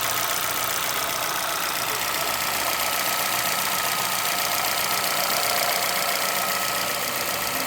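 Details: Chevrolet Celta VHCE Spirit 2011 engine at steady idle with a light, fast, evenly rhythmic ticking knock; unexplained knock, source unclear, owner asking for help.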